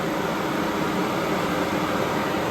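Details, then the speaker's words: Newly fitted auxiliary pusher electric radiator fan on a Pontiac Firebird Trans Am, switched on with engine off: steady loud airy whoosh, no rhythm, pitch change or rattle; fan running normally, quite noisy. "there she blows yeah so she's obviously quite noisy without the engine"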